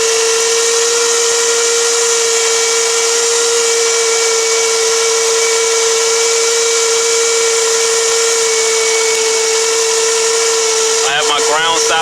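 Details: 2009 Toyota Camry, original alternator at about 120,000 miles: loud steady high whine at one pitch over the running engine, vibrating badly; unplugging connector should silence it, indicating alternator fault.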